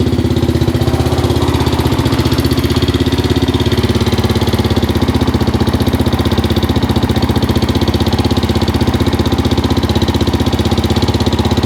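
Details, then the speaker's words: 2005 Suzuki LTZ 400 after a failed valve guide replacement by another shop, at idle: busy top-end ticking about four times a second from an exhaust valve with zero clearance; valve clearance to be rechecked and shims changed. "it sounds a little noisy up top on this side where that uh valve guys feel with our valve guide you put in it"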